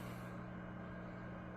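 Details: DIY Class A 6V6 tube amp on the bench, heard through a 2x10 cab at 8 ohms: faint steady low hum with even-pitched tones; power supply ripple, owner thinks it needs a 4-5H choke and extra filter caps.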